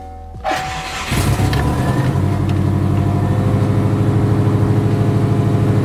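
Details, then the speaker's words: Subaru Forester just after engine reinstall (oil separator plate, clutch, oil pan, mounts replaced): cranks, catches and settles into a lumpy idle with uneven pulsing about three a second; persistent cylinder 1 and 2 misfire, ignition coil suspected. "alright so the cylinder 1 & 2 misfire did not go away kind of figure that one out may have to replace the ignition coil or swap it with a known good o"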